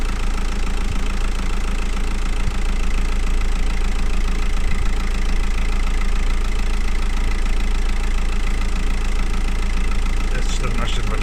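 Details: VW Golf V 2.0 TDI 140 hp after cleaning corroded ground connections (codes 18051, 16683; low power, black smoke, loud running, weak charging under 14 V): steady even diesel idle clatter, now much quieter, no smoke, charging stable.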